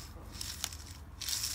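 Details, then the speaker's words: BMW R 1100 GS final drive taken apart, crown wheel rear wheel bearing spun by hand close up: a dry, gritty rasp from the worn, failed bearing; the new replacement bearing is silent. "Now, if you can hear this, I'm going to bring it up close. When you spin this, it's making all that noise."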